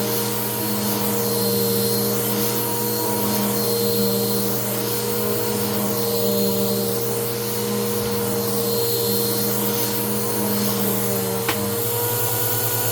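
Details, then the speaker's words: Bissell PowerClean vacuum after repair and reassembly, running with damp, clogged HEPA filter: steady but slightly laboured, uneven motor hum, sounds a little funky; owner suspects the poor filter, runs better without it; strained motor sound. "again it sounds a little funky but that's probably just because of that crappy filter"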